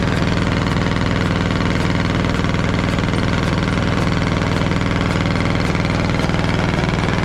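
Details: Caterpillar D8 2U crawler main diesel, first start in its revival after the pony motor was sorted; deep, steady idle with an even low beat, no knocks or misses. The motor sounds fantastic. Normal idle.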